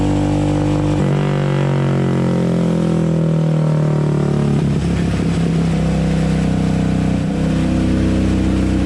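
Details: Yamaha Raptor 700 quad on a dyno pull after custom tune, new Rossier exhaust and Fuel Customs intake; loud clean single-cylinder bark climbing steadily in pitch, no misses or rattles. Normal revving.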